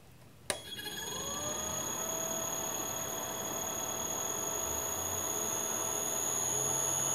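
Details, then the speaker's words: Leeson 1800 RPM D80 lathe motor on Teco-Westinghouse L510 1HP VFD after switching to sensorless vector mode; spins up quietly and evenly, mid-range shaking gone, thin steady high drive whistle on top. "and sure enough all that shaking that was in the mid-range it's gone"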